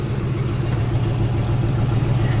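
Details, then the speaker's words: Salvage-auction V8 automatic at idle: steady idle with a faint uneven stumble in the low beat. Owner suspects a single-cylinder miss fixable with a coil after a diagnostic; not confirmed. "It's just a miss on one cylinder. That's nothing too serious, I don't think."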